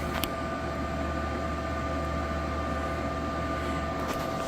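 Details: Server with DAT tape drive, floppy and DVD starting up after power cycle, dusty and due for thermal paste: steady, even whir with constant high whine over low hum, fans smooth, no rattle; normal running.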